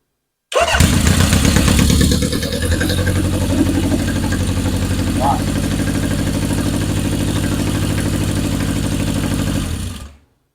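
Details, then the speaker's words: 1977 Honda CB750 chopper, revived and rewired, cold start: catches quickly on the starter and settles into a steady, even four-cylinder idle with no misses or knocks; carbs running well, motor strong and healthy. "Can't beat the Honda 750s. Good motors."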